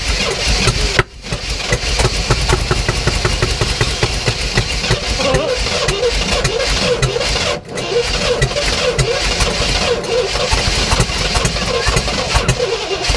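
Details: 1967 Oldsmobile Toronado with new plugs, wires and oil, primed with fuel down the carb. It catches and chugs unevenly, then falls away and must be caught again twice. It won't run on its own; cause unconfirmed.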